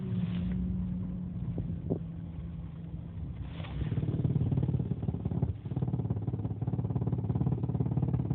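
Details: 2001 Jeep Cherokee XJ petrol engine with an uneven, pulsing low rumble at idle, present in drive and in neutral but gone when revved; source unidentified.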